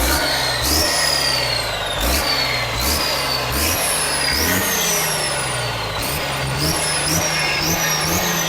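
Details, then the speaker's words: Long-sitting diesel, fired after fuel fitting tightened and kill/stop switch turned off: repeated revs with turbo whistle rising and falling, strong healthy-sounding diesel. "That's awesome, dude. That's totally awesome. You can't beat that turbo sound, dude."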